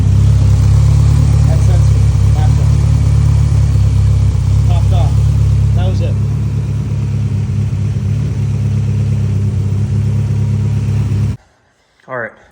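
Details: E85 car running after its no-start following a fuel pressure regulator replacement was fixed by reseating the MAP sensor: steady, even low drone for about eleven seconds before shutoff, no misfire or stumble; running normally.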